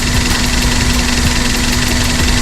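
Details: Daihatsu Sirion petrol engine with the check engine light on: uneven idle with a faint regular stumble, occasionally dropping a cylinder; the injectors are being checked, ECM or wiring is suspected, and the cause is not confirmed.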